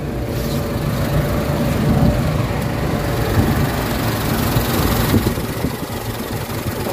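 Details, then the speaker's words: Warm Mitsubishi Adventure gasoline engine at idle, hood open, before Xado engine treatment: shaky, lumpy low rumble that wavers and dips as if about to stall; rough idle with throttle delay and low power complaint. "Medyo nangangatal yung kanta ng makina."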